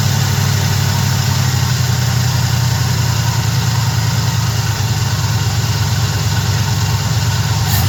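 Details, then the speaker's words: Small-block Chevy truck after a Holley carburetor swap, idle being adjusted without an rpm gauge. A smooth, even low rumble holds a steady idle with no misses or hunting. Normal idle, better than before the swap. "messing with the RPM idle. It ain't got a RPM gauge, but it sounds pretty good, though."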